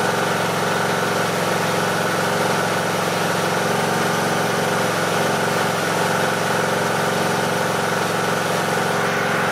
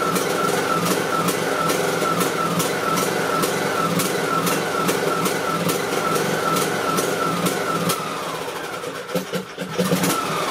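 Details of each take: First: Briggs and Stratton 18.5 hp Intek mower engine after cleaning the carburettor pilot jet to cure surging: even, unwavering idle for ten seconds with no rise or fall in speed; running smoothly without surging. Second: Briggs and Stratton 18.5 hp Intec lawn mower engine idling: steady small-engine ticking with tone wavering up and down as rpm hunts; idle surging blamed on a clogged carburetor pilot jet, fixed by cleaning the jet.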